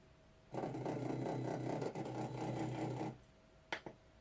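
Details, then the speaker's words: Nema 17 stepper motor on Ramps 1.4 3D printer board, X axis moving after auto home: steady whir about two and a half seconds, then a couple of soft clicks; normal movement. "So now if I go to move axis and go to X, there you go, there's X moving."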